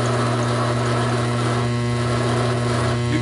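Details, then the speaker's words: Taig micro lathe with spring parting tool holder parting off 1-inch 1018 steel: steady motor hum strains and shifts pitch as the deep cut loads it, short on torque and starting to stall. "now into the job this does never enough torque"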